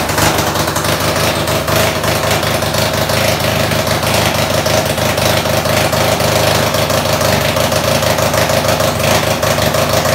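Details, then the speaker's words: Top alcohol Jr dragster engine, Briggs 5hp base, billet, supercharged, on alcohol, on the dyno just after its build: loud, fast, even pulsing with no dip or stumble; idle sits too high. "Okay, we're gonna fire this up again. I'm gonna see if I can get idle down just a little bit."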